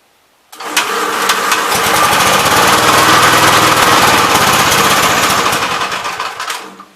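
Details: 1971 Gravely C tractor with 40-inch deck, single-cylinder, starts and dies; no choke needed, more rpm didn't help: rough, uneven rev-up then sags and stalls under throttle; owner suspects carb adjustment, flooding or spark plug.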